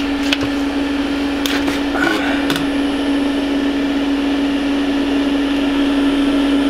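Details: Planar 2D diesel air heater newly installed in a VW Crafter camper van: constant low whirring hum at steady pitch, no grinding or rattle; blower running smoothly.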